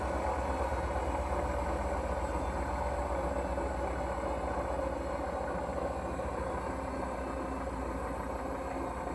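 A heavy, steady low rumble runs through the whole cycle without easing; loud and rough, but whether bearing or motor is unclear.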